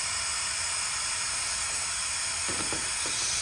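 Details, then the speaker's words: John Deere 525E riding mower, Briggs & Stratton 24hp V-twin ELS, leak-down test on second cylinder: steady high constant air hiss; 60% leakage, diagnosed as blown head gasket. "60% leakage. And I can hear the air coming out. Right there is going right there. Quick and easy diagnosis."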